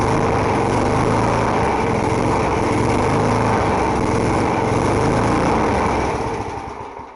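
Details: Small 3.5 hp single-cylinder lawn mower engine with rotten deck, primed and started: steady high-speed buzz, even firing, no surging, winding down at the end; slow to start but running fine.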